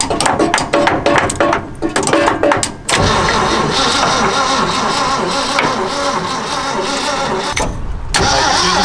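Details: 1962 Ford COE C600 box truck, parked about 30 years, first start attempt: choppy uneven cranking for about three seconds, then it catches and runs rough and loud; old engine firing on starting fluid, briefly catching fire.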